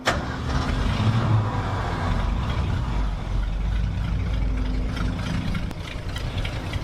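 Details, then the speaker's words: 1966 Ford F250 carbureted V8, after the fuel tank reinstall: a low rumble runs unevenly, sags and dies as the float bowl runs dry. The owner suspects fuel isn't being delivered fast enough, since it won't rev up when cranked and ran fine before the tank job. "Yeah, it's running out of fuel in the bowl. So, I don't think it's getting fuel as fast as it should."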